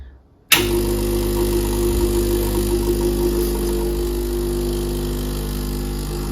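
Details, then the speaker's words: Gaggia Classic Pro pump after Barista Gadgets PID install, test shot at 103 degrees, 16 g dose, grind 3: abrupt start into steady even low buzz, no surging or rattling; normal pump operation. "So if I just start the pump, you will see it start counting time."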